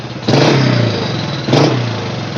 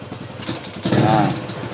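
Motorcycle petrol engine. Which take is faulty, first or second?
second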